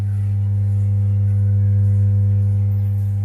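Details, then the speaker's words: Kenuo tower amplifier (equalizer, USB, MMC, echo mic) powers on but gives a steady deep "ummm" mains hum with no music; caused by a poor connection on the 6800µF/35V filter capacitor, fixed by cleaning and resoldering it. "இதில் என்ன கம்ப்ளைண்ட்னு பார்த்தீங்கன்னா, ஆன் பண்ணால் set on ஆகுது, ஹம்மிங் வந்துட்டு இருக்கு பாருங்க, உம்முன்னு."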